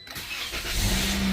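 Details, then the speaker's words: 2018 Toyota Corolla right after replacing the 12V battery with a lead-acid unit: a short crank catches at once and rises smoothly to a steady run, a clean, normal start. "Yeah. I am able to start the car. So, I think we are good."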